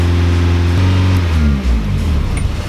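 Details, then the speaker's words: Nissan 240SX turbo, throttle position sensor unplugged to test after it was cleaned and reassembled: engine speed climbs on its own with rising pitch, no throttle input; high idle traced to throttle position sensor needing adjustment. "yeah I did when you unplug that it climbs yeah so the throttle position sensors caked"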